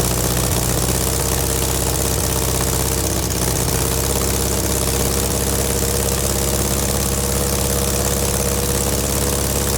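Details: VW Beetle air-cooled flat-four under restoration, alternator refitted after it smoked: loud steady low rumble, even beat, no knocking or misses; idles healthy, exhaust not quite connected and leaking, smells of exhaust only.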